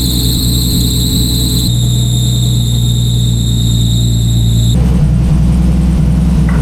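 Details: Nissan Skyline GT-R with power steering fluid leak: loud, steady high-pitched squeal over the engine on cold start and running; accessory belt slipping, possibly linked to the leak; cause suspected, not confirmed.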